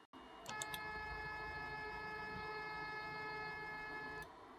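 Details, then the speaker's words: Elegoo Neptune 2S Z-axis stepper, which is normally much louder than the near-silent X and Y, run at reduced speed: a quiet, steady high singing tone with no low grumble; the slowed motor runs smoothly. "but the z-axis is a lot louder [Music] but it doesn't have to be this loud if we don't mind sacrificing a little bit of speed it could sound like this"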